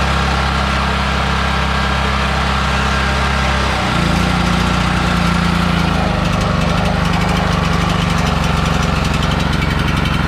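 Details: Generator being weaned off propane onto old gasoline after a hand-crank start, charging its battery from 10.9 V to about 12.5 V; steady, even drone that settles to a slightly different note partway through: normal running.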